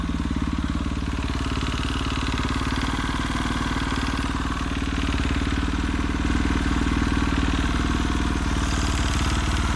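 Steady single-cylinder thump with a dull, rapid knock riding on each firing beat at idle; internal knock, cause not clear.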